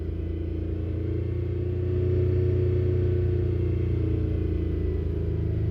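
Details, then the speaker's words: 2008 Skoda Fabia 1.2 three-cylinder petrol revving with a deep, uneven, lumpy beat; misfire counters climb on cylinder 2, fast when revved, and the coil pack is to be swapped. "obviously we're definitely getting a misfire and we're not gonna be burning the fuel correctly"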